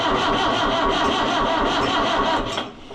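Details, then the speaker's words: Oliver 1365 (Fiat 640) diesel tractor after fuel filter and fuel leak work, battery at 12.3 V: catches and runs roughly for about two seconds, then sags and dies from air in the fuel system. "It's got air in it, so it'll probably Yep, that's what I figured."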